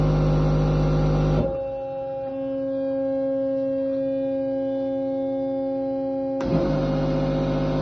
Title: Test Run After Repair - Bosch Servo Valve - 0 811 404 605